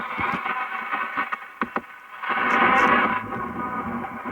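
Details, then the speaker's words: Philco 46-480 AM/FM/SW antique radio after recap, before alignment, on a local station: harsh, fuzzy, rough-edged distorted audio output; tone control works, volume control dirty and needs cleaning or replacement. "tone's working but you hear how terrible it sounds and the volume control definitely needs to be cleaned probably even replaced"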